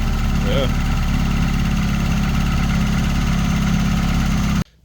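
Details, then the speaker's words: Highly custom MK2 Jetta coupe, turbo 4-cylinder, said to make about 295–298 wheel horsepower; steady even low rumble at idle with smooth regular beat, no knocks or misses after boost runs. Normal idle. "All right, so there it is, guys. Started running, runs great, builds boost, sounds amazing."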